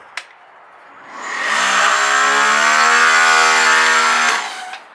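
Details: DeWalt 3000 PSI 15A corded electric pressure washer switched on without water turned on: motor spins up to a steady high whine with a rough hollow edge, then winds down; pump running dry.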